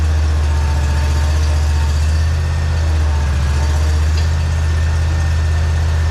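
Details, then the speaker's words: Simplicity Citation mower with new battery, engine running, drive pushed forward: steady low idle drone, machine doesn't move; suspected hydro oil run out after a burst hose, possibly filter, hose, belt, wheel motor or hydro pump. Drive not moving with engine running. "okay so did you see what's happening there push this forward pull the brake up and the hydro system"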